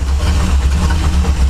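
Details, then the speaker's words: C10 V8 with a cam at idle: uneven, loping pulse with irregular exhaust beats; owner suspects ignition misfire (plug wires, coil or distributor) and probably worn rings; rough idle. "it doesn't really help that the uh engine misfiring so it's got an ignition I think plug wires coil uh distributor somewhere in there but you can totally hear it's not running it's not running smoothly"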